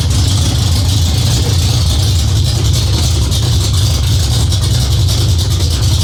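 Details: Cammed Ford 351W V8 first start, after ~10-minute cam break-in and distributor/timing retimed: deep steady heavy idle, big even low rumble, no misses or ticking; healthy cammed idle.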